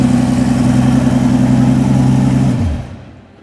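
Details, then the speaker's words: Mercedes S65 AMG M279 V12, first start after a full rebuild of an engine seized from running without oil; deep, smooth, even burble with steady beat and no ticking or knocking, then winds down cleanly, healthy idle. "Beautiful, beautiful, beautiful. Just like that. Come on, man. And she sounds sweet and amazing."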